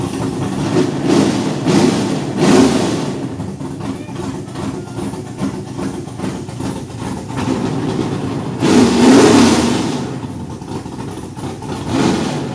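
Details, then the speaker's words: LS V8 swapped into Datsun 280Z, after cam gear replaced: engine blips and settles into a deep even burble with no misses; all 8 cylinders firing, though oil pressure reads 0 at idle, rising to 20. "Oh my gosh, that sounded sick. Yep, that was all the cylinders. Finally, we have 8 cylinders firing."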